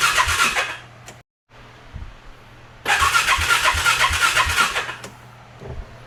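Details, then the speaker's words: Ranger 570 after fuel injector and spark plug replacement, first start attempt: starter cranks evenly but never catches because it has no gas. "It ain't got no gas in it."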